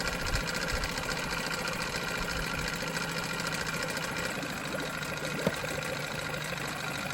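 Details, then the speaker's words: 1987 Johnson 9.9 outboard after water pump impeller replacement, one pull with no choke after sitting 24 hours: light, quick, even two-stroke idle with no stumbling or surging; was choppy at idle the day before. "No choke, one pull after sitting 24 hours to pop off an idle like that. I cannot complain. That is better than brand new."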